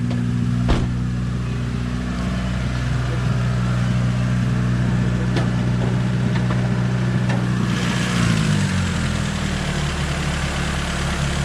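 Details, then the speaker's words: Toyota Corolla LE EE80 1.5 carburettor engine, choke left on: fast steady idle for about eight seconds then drops lower; high idle from choke, also a felt misfire suspected. "not bad idling a bit high though and it's a carburetor so the trick would be actually to find somebody who can who can fix the carburetor"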